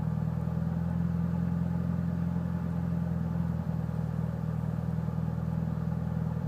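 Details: Mitsubishi Evo VIII with cams, tuned, clean MAF and intake, regularly serviced: low lumpy rough idle with occasional stumbles; cause unknown.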